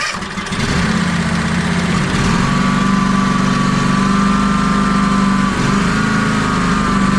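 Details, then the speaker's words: John Deere X350 mower, run with the old fuel filter and electric fuel pump removed, starts and surges at light throttle, with a slow rise and fall in speed. The dash readout shows RPM fluctuating; the cause is still unconfirmed and a new vacuum fuel pump is planned next. "And I even got a shot of the dash there at the end with the readout showing a little bit of fluctuations in the RPMs on it."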